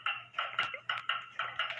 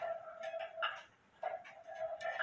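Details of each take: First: Hamilton Westminster-chime grandfather clock, before beat adjustment of the crutch: crisp ticks about four a second with gaps alternating long and short instead of even; the pendulum is out of beat. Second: Hamilton Westminster-chime grandfather clock after adjusting the crutch: crisp ticks roughly every three quarters of a second, tick and tock evenly spaced in a quiet room; the movement is in beat.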